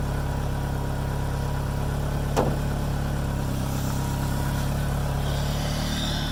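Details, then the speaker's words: 2G DSM at idle after fuel filter replacement and fuel pump reconnected: smooth, steady idle with constant low hum, no stumbles, surging or ticking; engine running normally. "right everything seems to be doing alright"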